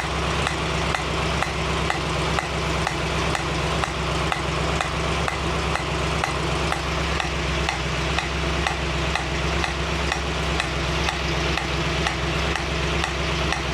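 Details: 1965 Mustang GT Convertible running after installing a Tuff Stuff 7068K 140 A alternator, fan on: a new steady sizzling hiss with light regular ticks, seemingly from the carburetor; source unconfirmed.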